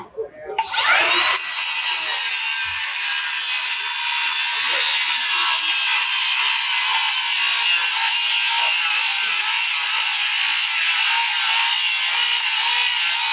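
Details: Diablo 7-1/4 in 24-tooth framing blade on a cordless circular saw cutting through flashing, shingles and lag bolts; spins up, then one even high-pitched cutting roar for over ten seconds without bogging. Blade stays cool, clean smooth cut.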